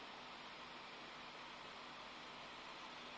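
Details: Dell XPS 15 2-in-1 (9575), barely warm: steady airy rushing with no rhythm or pitch change; cooling fan running loud, seemingly overkill, cause unclear.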